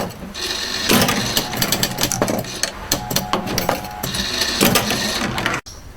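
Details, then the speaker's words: Pinball machine vertical up kicker (VUK), a stronger ejectile that kicks the ball straight up onto a ramp or gadget, firing in operation: sharp solenoid snaps and clacks in quick bursts among machine rattles; normal operation. "A vertical up kicker is pretty much the same as an ejectile, just kicks with more power and kicks straight up. This is a vertical up kicker in operation."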